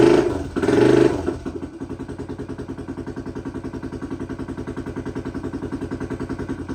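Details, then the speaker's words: 2008 Honda 400EX ATV after a top-end rebuild (oil starvation had melted the piston); bottom-end condition unknown. After a brief rev it settles to an even single-cylinder thump with no knocking or ticking audible over the exhaust. Normal idle. "sounds good though there's no no engine noise really can't really hear anything though over that exhaust"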